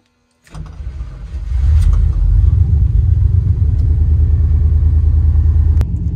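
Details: 1988 Chevrolet C1500 Scottsdale, after new water pump, being run to bleed the cooling system: engine cranks, catches within a second and settles into a steady even low rumble with no misfire; runs fine.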